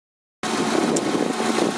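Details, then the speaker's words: Fiat Fiorino 1.3 Fire after repair of misfire and power loss from a cracked valve: smooth even idle with a light rev, running perfectly; water pump starting to show a problem. "horrorizada Bahia Fiorino funcionando perfeito de novo tudo muito bacana uma aceleradinha aqui ó"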